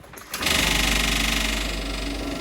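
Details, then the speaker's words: Toyota KE30 Corolla project, key on before starting; a steady high electric buzz starts and holds evenly as the fuel pumps prime, then quiets down a bit: normal fuel pump priming. "Let's make sure she still starts. Turn on our brake up. Listen for our fuel pumps."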